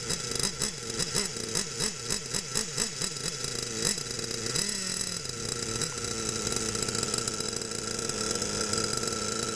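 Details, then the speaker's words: Losi Aftershock nitro RC engine buzzes and stumbles on throttle blips, then holds steady high idle; still bogging from a rich mixture after 1/8-turn leaning steps, so leaning one more 1/8 turn. "okay that sounds great but it's still bogging so I'm gonna lean it out one more one more 1/8 turn"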